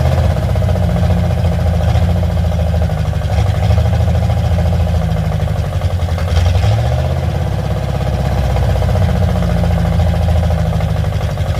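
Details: Carbureted car with a Y-pipe-only exhaust: a heavy, loping idle held at raised speed. The throttle-side idle mixture screw works but the choke-side one does nothing, and it quits quickly unless the idle is up; faulty carburetor, Holley planned.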